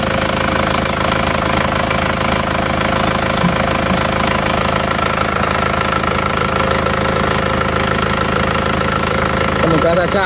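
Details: Isuzu Panther 2.5 diesel, first cold start after rework with previously replaced non-original liners and sleeves: even clatter at a steady rhythm with no loud knock, only a little rough; idles normally.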